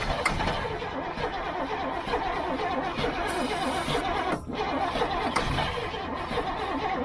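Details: Old GMC gasoline bucket truck with Holley carburettor, starting fluid sprayed: starter cranks steadily several seconds with brief dip but never fires; not catching, choke then applied, fuel suspected.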